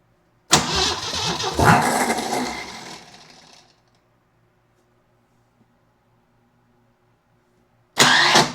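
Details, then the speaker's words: Neglected Jeep CJ7 project, no fuel in tank, oil pressure building on gauge: long steady cranking that never catches or fires, though it seems to want to; cause unconfirmed. Crank, no start. "Let's keep trying. Huh? It wants to do something."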